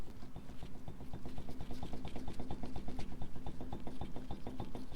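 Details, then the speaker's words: 2011 Jeep Wrangler Unlimited Rubicon front axle, wheel and axle shaft removed, knuckle rocked by hand: dull uneven clicking knocks about three a second, boot visibly wiggling; worn ball joint play, needs replacement. "With everything off, even with the wheel off, you can still see that that boot is wiggling in there. You can still see that play that this thing has."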